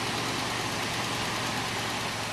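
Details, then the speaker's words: Light, fast lifter tick over a smooth, even idle at the very first start of a 403 V8 swapped into a 1979 Oldsmobile Cutlass. Lifters are thought collapsed from water and long cranking, and the tick is expected to go away; no leaks. "it runs smooth damn this is the first time starting this thing and it runs awfully smooth sounds like a little bit of a lifter tick that should go"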